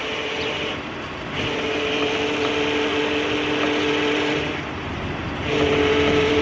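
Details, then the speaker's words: Jeep Grand Cherokee making weird noises when the steering wheel is turned, fluid level checked: two steady mid-pitched whines come and go with steering input over road hum; failing power steering pump whine. "today is going to be the day that I finally take the Jeep to the shop it's been making some weird noises when I turn the steering wheel as you guys can see"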